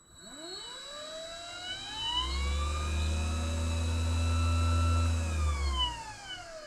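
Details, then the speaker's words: Vevor MX400 (WM210V) benchtop mini lathe after three years, motor isolated with pulley removed, running forward: whine rising with spin-up, steady, fading on coast-down; worse in reverse; owner suspects motor is failing. "Has a bit of a a wine to it, but it works. Um I don't know. That sounds okay to me."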